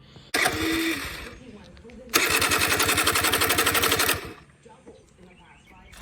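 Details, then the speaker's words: Honda Spree two-stroke scooter (1986 frame, 1985 motor, 1987 head, Chinese knockoff carb) that fires then dies and won't restart. Two short bursts of choked, uneven popping that sputter out; owner believes the exhaust muffler is plugged. "it won't run it'll sometimes fire up and go and then it'll die and then it won't restart and what i've come to find is i believe its exhaust is plugged up and i'll show you"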